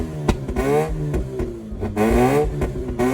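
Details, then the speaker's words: 2004 Mazda RX-8 rotary just started after long storage, new battery, makeshift intake, hot day, cold engine: repeated rev blips and sags as throttle eases, wants to die; won't idle, owner hopes warm-up helps. "It will not idle. It wants to die if I let it go slightly."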